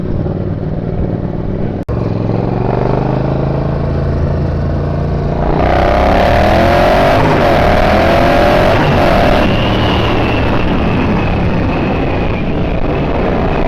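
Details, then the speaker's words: Turbocharged Triumph Bobber motorcycle being tuned for more boost with TuneECU: steady engine drone under boost with rapid chattering flutter on lift-off; dump valve closing too slowly, to be adjusted by unwinding a couple of turns. "it's not quite closing quick enough actually because I can hear the the flattering I can out a little bit right"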